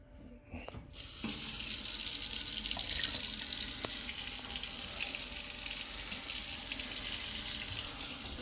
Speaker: me well it's draining now we got to clean up all the nastiness